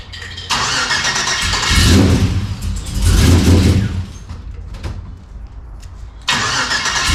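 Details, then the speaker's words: LS-swapped 1992 Dodge Dakota V8 on its first start after fitting a catch can and capping the throttle body: long cranking bursts with uneven catching. It seemed flooded with fuel, then started fine; a major vacuum leak was suspected. "It almost seemed like it was full of fuel when I tried to start it the first time, but now it starts up just fine."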